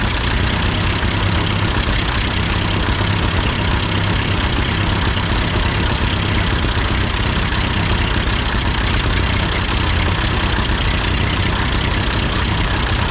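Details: Ford 8N tractor that sputtered and stalled going uphill with a cheap replacement carburetor, idling after the carburetor was adjusted: a steady, smooth four-cylinder chug with no stumbling or hunting; sounds good, not yet tested under load.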